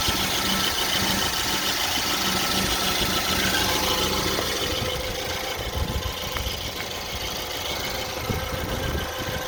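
Petrol engine at idle with a loose, uneven tapping of about two knocks a second that comes and goes: intermittent knock.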